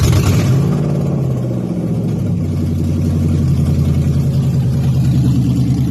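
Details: Toyota 1UZ-FE non-VVTi V8 in an Altezza, UCF20 loom with plug-and-play relay setup, manual: catches at once and settles into a steady, even low rumble with no misses, knocks or ticks; a healthy start and idle.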